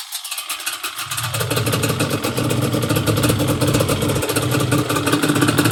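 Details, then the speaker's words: Yamaha Banshee two-stroke twin after a carb clean and rebuild, with each idle screw turned down about one turn: a steady, crisp, even two-stroke burble, a normal, good idle. "So I turn each idle screw down. Yeah, now She sounds a lot better. Oh yeah, she sounds great."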